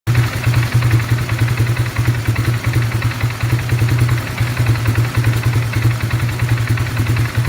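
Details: 2018 570 with misfire and no fault code, engine dying by itself: low thumping idle with an irregular, stumbling beat and occasional skipped pulse; misfire, cause unknown.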